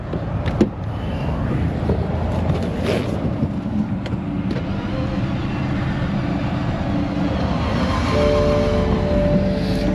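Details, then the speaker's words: Completely dead BMW (new alternator; 2.3 volts, no dome light) jumped with a small Lokithor JC400 jump box: quick, even cranking near three beats a second, engine spins freely but never fires or starts. Owner suspects no compression, with the battery maybe killed by earlier cranking. "Sounds like it has no compression. Maybe they killed the battery cranking it till it died."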